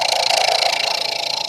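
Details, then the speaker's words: Woodturning lathe with a Vicmarc #3 eccentric Escoulen chuck, making light cuts near the headstock on a Christmas-tree piece. There is an even, fast fluttering cutting sound with no heavy shudder or rattle, so the cut is smooth and vibration-free. "and as you can hear you don't hear that vibration I'm not taking big cuts still but"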